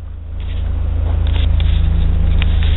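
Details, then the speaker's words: 2001 Ford Escape V6 after replacing the idle air control valve (previously would not idle and died off throttle, no fault code): cranks, fires right up and settles into an even, steady idle with no hunting; healthy idle. "I showed you the symptoms and uh boy I tell you what fired right up thank you"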